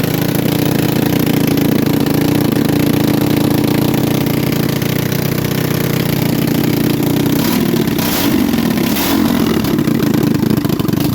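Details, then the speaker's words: Manco Thunderbird minibike single-cylinder after reassembly with new spacer, just started: small buzzing at fast raised idle, steady hunting tone; high idle, owner suspects intake manifold leak admitting too much air, plans another gasket. "I forgot we got that manifold leak. We're going to put another gasket. That's probably why it's idling up. It's getting too much air."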